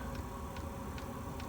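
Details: Chinese diesel heater with E-08 code and heavy smoke, glow plug suspected of not getting hot enough to ignite the diesel: light, even ticks about two and a half per second over a low fan rumble; fuel pump metering normally on startup.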